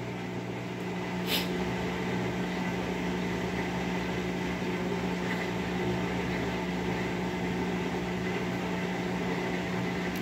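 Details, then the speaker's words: Whirlpool 17 kg washer that fills then stops washing, during recalibration mode: a steady low hum with an even, unchanging pitch and no knocking or grinding. The drain pump is running normally while emptying. "en este no en este como si estuviera caminando hacia atrás ahí está desaguando"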